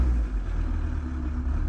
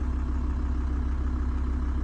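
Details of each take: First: VW T4 diesel van, 70,000 miles, just fitted with PP0.5 upgrade injectors, injector quantity reading 2.8–3 mg per stroke: on return to idle from revs the beat wavers unevenly; idle flutter, quantity to be raised in software. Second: VW T4 diesel van, 70,000 miles, new PP0.5 injectors, injector quantity adjusted in software up to 4.2–4.4 mg per stroke: low steady even diesel idle, no flutter or hunting; return to idle now perfect.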